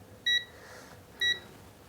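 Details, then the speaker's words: Coffee machine thermostat with a 120°C cutoff, tested with a multimeter in continuity mode across its two AC pins; two short clean beeps show its contacts are closed and conducting. "इसको लगाएंगे या इसके connections close होते हैं, आपस में जुड़े होते हैं, तो ये आवाज़ साउंड करेगा, मतलब आपस में जुड़े हुए हैं, ये देखिए।"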